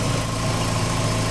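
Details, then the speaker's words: 2006 Dodge Stratus idling after water pump replacement despite camshaft washers left out on reassembly: steady, even low idle, smooth unbroken rhythm, no knocks or ticks; runs healthy for now. "now is sounding good and if there's an issue I know exactly what it is"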